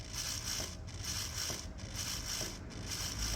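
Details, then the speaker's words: Club Car Precedent golf cart front wheel, jacked up: dry gritty creak and soft clunk about once a second as the loaded wheel turns; worn front wheel bearing (6204-2RS) to be replaced. "hear that clunking that is the wheel Berry"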